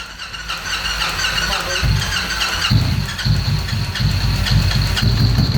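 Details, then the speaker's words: 2013 Victory Cross Country supercharged V-twin after sitting over a year: uneven lumpy low thump at about two per second, firing on one cylinder. The rear runs warm but the front stays cold even after the plug wire swap, so a different coil and plugs are planned. "don't feel like growing running on one cylinder this front cylinder is still nice cold so we have to change those change that to a different coil and maybe change the plugs"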